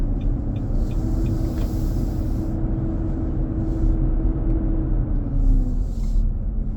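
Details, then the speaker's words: 2023 Nissan Armada, 4k+ miles, driving at about 95F inside: loud, steady, droning low roar over the engine, easing slightly in pitch. It eases at 45 mph and returns. Intermittent, almost daily. Fan clutch roar. "the same path, but the noise reduced, coming back up again."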